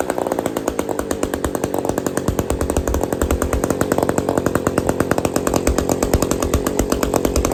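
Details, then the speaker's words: Old Bolens gear-drive chainsaw, never heard running in years of ownership, running with no choke and the kill switch not refitted: crisp, regular two-stroke firing at a fast steady idle with no misses or stumbles. It runs normally. "here woohooo we got we got a saw that runs"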